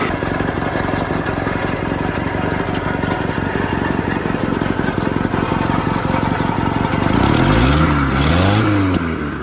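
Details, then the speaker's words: 1964–67 Toyota Stout pickup with 3R four-cylinder, abandoned since 1984, first running after flooding several times: steady, even idle with clean smooth revs, no knock, miss or smoke; normal running. "Sounds good. They're idling. Not smoking. blowing corn. This truck's not even smoking. It sounds great."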